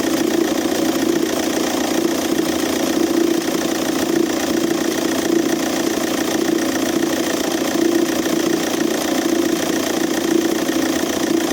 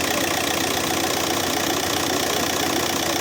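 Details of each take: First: Audi A3 8P 2.0 TDI BMM diesel idling: uneven knocking rattle about three times a second from a seized alternator overrunning clutch pulley, sounding like a dual-mass flywheel or engine knock. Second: Audi A3 8P 2.0 TDI (BMM) diesel at idle after replacing the seized alternator overrunning clutch: steady, somewhat loud diesel clatter. The earlier knocking rattle is gone and the belt tensioner no longer jerks.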